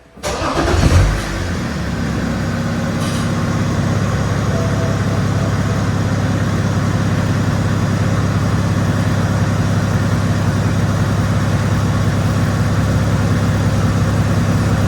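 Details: BMW E60 530d M Sport diesel after repairs incl. new exhaust clamps and brackets: cranks, catches within a second, then settles into a steady, even idle with a deep low rumble, no knocks or rattles.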